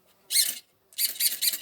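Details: Savox SV0220MG HV servo newly fitted as the throttle/brake servo on an HPI truggy, before end-point adjustment: two brief, high-pitched whirring sweeps, quick and clean with no grinding or chatter. Much nicer than the original servo.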